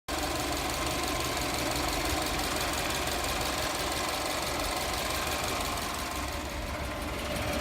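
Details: Subaru Forester XT at idle: loose, uneven rattling knock about three per second over the engine hum, more prominent since an oil change to Castrol Edge 5W-40; owner suspects piston slap.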